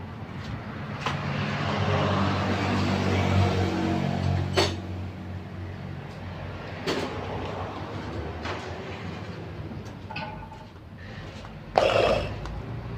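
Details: Soul GT 125 scooter that made a creaking noise when ridden slowly at about 40 km/h; after replacement of the faulty part it starts, revs smoothly and settles back with no rattle or scraping, sounding healthy.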